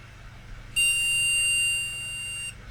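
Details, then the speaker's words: Flea-market PC with its own RAM fitted, terminator strip unchanged, then tried in the other slot: one long steady high POST error beep under two seconds, same as before; board likely rejecting the memory, jumper settings unknown. "And let's have a look to see if it will make at least a different bleep. No, that sounds the same. That sounds the same to me."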